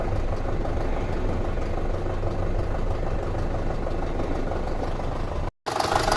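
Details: 2006 Audi A4 2.0T, apparently long parked, P0300/P0303 misfire, hood open: uneven metallic knocking about three a second over rough idle, distinct metal-on-metal sound toward the back; suspected mechanical issue, compression and intake pulse tests planned.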